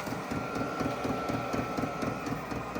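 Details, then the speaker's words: VEVOR 8 kW all-in-one diesel air heater on its highest setting during warm-up: the fuel pump ticks quickly and steadily, several clicks a second, over a soft burner hum as the exhaust begins warming; normal fuel pump ticking during warm-up. "so just now starting to warm up on the exhaust just a little bit you can still hear the U fuel pump running as it's uh heating itself up to uh take off"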